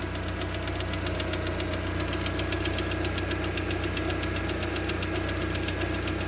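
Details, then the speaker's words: Lada Largus with the 1.6 16-valve 129 engine (Priora/Vesta type), knock remaining after hydraulic lifter replacement: about 3 minutes after a cold start, a fast ticking about four per second at idle. It fades as the engine warms and is silent when warm; cause not pinned down. "А так, если бы тихо двигатель работал, еще бы слышно громче было бы. А когда прогреется, идеально работает тишина."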